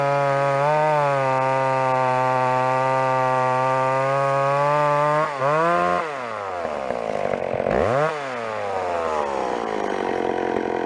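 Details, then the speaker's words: Old McCulloch two-stroke chainsaw after carburettor tuning: even steady buzz at idle, revs up and drops back smoothly with no stumble or bogging; normal running, well tuned. "If anything, the low screw could come up a teeny bit, or maybe the idle. Hear that? She's bang on now."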